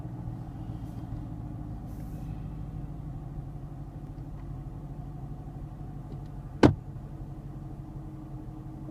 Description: Recirculation actuation popping noise on 2017 Camaro